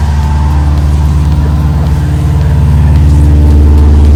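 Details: Subaru WRX rebuild, first start after no-spark no-start, immobiliser locked/unlocked and fuel added: strong steady low note with even pulses, revving a little higher at end; now runs.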